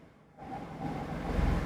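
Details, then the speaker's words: Perodua Axia (second generation, 1KR engine), engine running, AC compressor not engaging with no fault codes; compressor fed power directly: rising low hum and faint whir as clutch pulls in and it runs; not an ECU fault, its feed wire lacks power. "Oke, permasalahan dia bukan masalah ECU lah. Kita tengok, kita direct, dia hidup."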